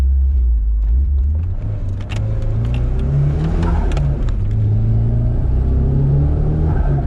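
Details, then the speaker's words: Nissan 180SX with a new S15 T28 turbo on a spaghetti manifold, wide-open acceleration at only about 7 psi boost: deep strong pull with a clean climbing note and no rattles; it pulls harder than the old failed turbo did at 12 psi. "It actually pulls hard, and it's only on like 7 pound. It's pulling harder than before."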